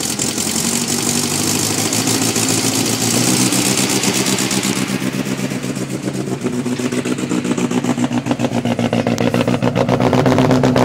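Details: 1990 Nissan 240SX with KA24E engine, held at about 2,000 rpm: uneven stumbling beat from a constant misfire.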